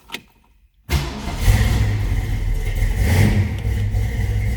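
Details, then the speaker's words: 1965 Ford Mustang coupe, C-code car fitted with a 302 V8 and 4-speed manual: quick crank, catches and rises into a deep, even rumble with smooth revs, no knocks or misses; nice running and healthy. "This is a C-code car, but it has had a 302 dropped underneath the hood. Nice running, nice sounding car."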